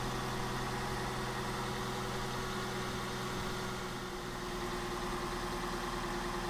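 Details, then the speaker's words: Abandoned Suzuki Wagon R+ small four-cylinder, first start, cold on choke: steady, even idle with smooth hum, no misses, knocks or smoke; normal cold idle. "So not too bad. Obviously it's on the choke at the moment. It seems to run pretty nicely."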